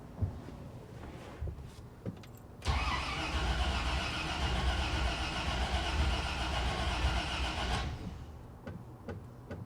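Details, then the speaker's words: 1956 Cadillac, not run in a year, fuel pump and glass bowl bypassed to the carburetor, fluid drained, brief start: quick light ticking over a rough idle for about five seconds; lifter clatter. "A lot of lifter platter, I can hear that."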